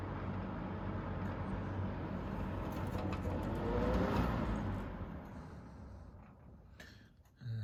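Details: 3-speed fan on high, motor previously repaired after falling apart; steady low coarse, buzzy drone under airflow rush, motor humming loud, which owner attributes to its many hours of use.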